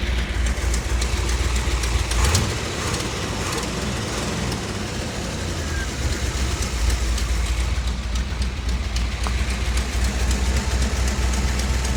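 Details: 1957 Chevy Bel Air with 454 big block from a motorhome replacing a blown 396, old 396 racing cam, new intake and distributor: deep steady V8 rumble with even unbroken beat, no knocks or misses; normal running after swap.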